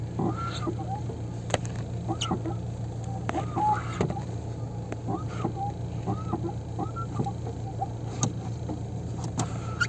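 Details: Hyundai Getz, fix with WD40: rising-and-falling squeak about once a second over a low engine hum: squeaky clutch pedal.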